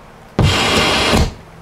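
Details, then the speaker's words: Pioneer SX-6000 receiver with weak left channel on FM: sharp thump then about a second of loud hiss cutting off when switching out of FM; noise before the power amp in both channels, suspected from the FM circuit. "Okay, that's AM, FM, and out of FM. So our noise is coming from the FM, and I'm going to show you where I think it is, and then we're going to take a look at that circuit."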